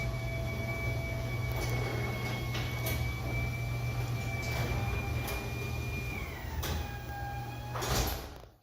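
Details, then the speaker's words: Garage door closing before lubrication: long, steady high squeal sliding down in pitch from dry, unlubricated joints; fix is spraying garage door lubricant on all the joints. "it's to avoid such squawking sound, the one which you heard."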